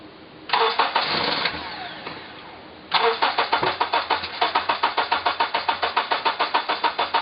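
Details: 2003 Honda Element EX AWD with spark confirmed in all 4 cylinders, cranking after starter fluid was sprayed into the intake manifold: two bursts of cranking at about 3.5 beats per second, never catching. Cranks but won't start.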